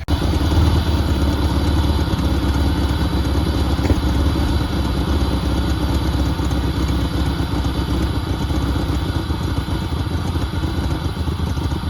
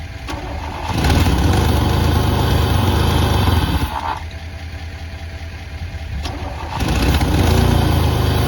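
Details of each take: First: 1988 Pontiac Firebird 2.8L GM V6, 230,000 miles, first start after about 13 years sitting, oil unchanged; steady even low rumble, no knocks or misses: normal running. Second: 1988 Pontiac Firebird, 2.8L GM V6, 230,000 miles, unstarted for about 13 years with old fuel in the tank: brief cranking, then it catches, runs rough and loud, dips and picks back up. The engine turned over despite initial resistance.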